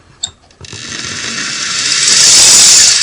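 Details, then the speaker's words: Singer Model 401A sewing machine on initial inspection, tension release not working: motor spins up with a harsh, high-pitched grinding whir, rough and uneven like dry, gummed-up gears; cause unconfirmed. "let's give it a try here no that sounds terrible doesn't it"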